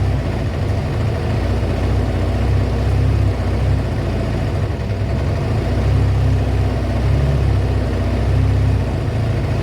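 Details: Kawasaki ZL600 V-twin after a project revival, just fitted with a new battery and pod air filters, warming up with smoke off the exhaust: even, low, loping idle, steady throughout without misses or knocks. A healthy warm-up.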